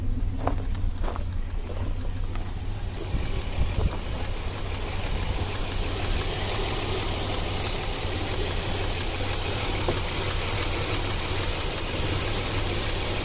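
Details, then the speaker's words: 2007 Chevrolet Equinox 3.4L AWD, overheating and driven that way for about a week, P0300 random misfire, warm idle at 190°: rough, misfiring idle with shaking. Possible arcing suspected, cause unconfirmed. "So guys, the car just started misfiring. I don't know if you see that."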